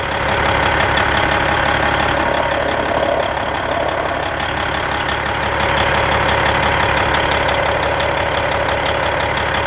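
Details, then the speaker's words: 1997 Peterbilt 379 with Cat 5EK diesel at idle: coarse, steady roar and rattle on the firing beat. Owner first suspected the fan hub or water pump; a gear-train missing tooth is suspected, with metal found on the front oil drain plug. "sounded like you know had a roar like a bad water pump or something"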